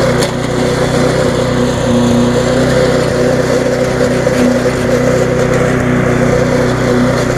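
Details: Viking (Stihl) mulching mower, Briggs engine with refurbished classic carb, after repair: steady, even buzz that holds speed while cutting grass, no surging or misses, running well.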